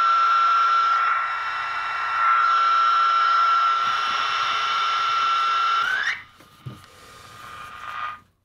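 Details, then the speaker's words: Keurig coffee maker plugged straight into the wall, heard on a shortwave radio: a loud steady hiss with a fixed high whistle that slides upward and dies as the unit shuts off. Switching power supply interference with harmonics across the HF bands. "so that's what i mean by our fire hose and it's everywhere all over the hf bands and everywhere so there's a lot of harmonic content coming out of this thing"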